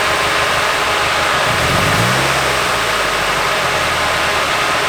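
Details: Nissan 240SX S14 Kouki SR20DET with a coil pack unplugged, little change: lumpy uneven idle with stumbling beat and a brief rev blip; dead cylinder from a faulty fuel injector.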